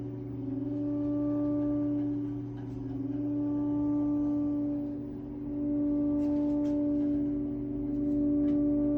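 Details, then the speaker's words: Triangle Tube Prestige boiler after a new valve was installed: steady pure ringing tone swelling and fading every few seconds over a low running hum, source unknown; tonal ringing noise. "I'm wondering what that noise is coming from because it's pretty annoying."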